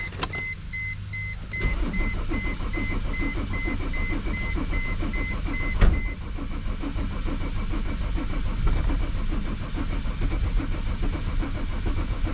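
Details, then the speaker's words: Mercedes W210 E 300 Turbo Diesel, towed in, cranks steadily at about 105 rpm but never fires. Battery sounds weak at 11.8 V; a weak battery or a fuel-pressure problem is suspected, with raw diesel smell and no trouble codes. "battery sounding kind of weak um I mean maybe it's too weak to start the car definitely sounds like the battery's weak that could be an issue"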